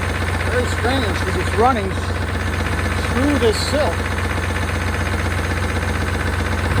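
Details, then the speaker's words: 1992 Chevrolet Caprice wagon V8, parts car sat in a field and supposedly seized, restarted with oil about a quart low; steady idle with light uneven ticking, owner suspects lifters, possibly a bearing, not confirmed. "see if we can uh fire back up and get those lifters to quiet down uh that sounds a little louder gun lifters"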